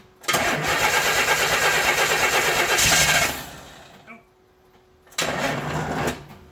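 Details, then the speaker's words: 1964 Pontiac Lemans parked 12 years, first start attempt with fuel and choke: engine fires and roars about three seconds, dies, catches briefly and fades; owner thinks it flooded, and it later runs with more choke. "think we flooded it man it's so close"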